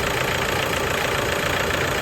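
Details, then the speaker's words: Toyota Hilux diesel at idle on its first start after a full overhaul, following a sudden stall on the road and a no-start; steady, even clatter with no knocking or misses; the engine runs healthy. "Jadi ee kemarin pada saat datang itu ya mesinnya total sama sekali enggak bisa hidup. Jadi hari ini sudah bisa hidup."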